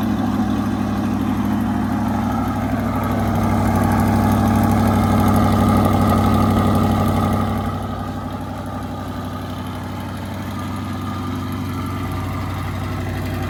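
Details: Chevrolet Corvette C8 remote-started after the K&N air filters were cleaned, re-oiled and refitted. Engine catches, flares briefly, then settles into a smooth, even idle with no knocks, ticks or misses; sounds healthy.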